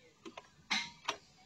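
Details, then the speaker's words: BS6 car in neutral with the ignition on, cranking attempt: only a few dry, quiet, irregular clicks with no cranking, and the instrument cluster blinks once and shuts off. No start; it is unclear whether the battery or the starter motor is at fault. "আৱাজ কৰে ইনস্ট্ৰুমেন্ট cluster মিটাৰটো এবাৰ blink কৰে আকৌ বন্ধ হৈ যায়"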